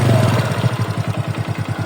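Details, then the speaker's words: Yamaha Mio reassembled after connecting rod damage repair: quick, even idle putter with no knock underneath; runs smooth with no problems after repair. "Oke sobat, ini motornya sudah saya rakit kembali dari kerusakan stang seternya tadi, dan alhamdulillah motornya sudah halus, tidak ada kendala"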